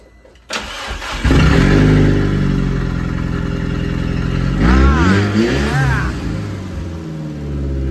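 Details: Datsun 280Z fitted with a transplanted Audi engine, first run after nine months, misfire cured by fully plugging in a half-seated coil pack: cranks, catches quickly, steady idle with clean blips on all cylinders; normal running.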